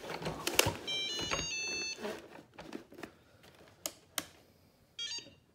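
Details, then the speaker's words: Shark ION robot vacuum demo: short run of bright electronic tones, then a quick chirp a few seconds later as it docks with contacts aligned and starts charging; normal. "Okay, so we're charging, and it's gonna go back and forth, back and forth, back and forth."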